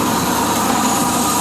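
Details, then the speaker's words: 1992 Ford F150 5.8L V8 after water pump replacement and coolant refill: steady, even engine roar with no knocks, ticks or squeals, only drips from spilled coolant; runs really nice. "runs really nice"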